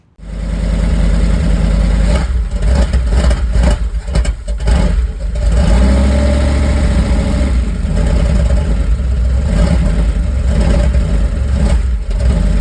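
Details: 1978 Dodge van with a 440 V8, sat for 30 years, first start after a year and a half of work (new oil pump, water pump, alternator): catches within a second, blips, then settles into a deep, steady, even rumble; starts and runs fine.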